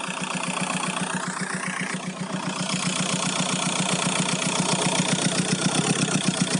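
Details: VW Golf 4 1.9 TDI 115 4Motion diesel at idle: steady rhythmic pulsing about two and a half beats a second over the clatter; owner hears a strange engine noise, cause unknown.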